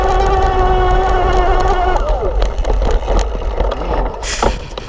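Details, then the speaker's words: Kranked E Squared bottom-bracket mid-drive motor (18:1 step-down) on a Santa Cruz V10 climbing a very steep rocky grade from a standing start: steady mid-pitched motor whine over tyre crunch, easing off, not struggling; normal under climbing load. "And it's really not struggling or anything. That's impressive. I'm climbing like a really steep grade here."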